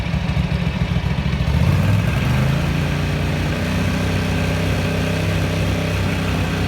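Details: 1983 Ducati MHR bevel-drive twin, 40mm Dellorto carburettors after vacuum-gauge balancing, idle being backed off: deep, even lope settling into a steady idle with no misses or hunting; carbs well balanced, normal idle.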